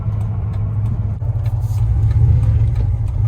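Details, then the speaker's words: 1999 Dodge Ram 1500 with a 5.2 (318) V8 and 5-speed manual, driving after a new O2 sensor: idles low and steady rolling to a stop with no surging or stumbling; the earlier misfire until warm seems fixed. "All right, does the idle surge as we come to a stop? No, it doesn't."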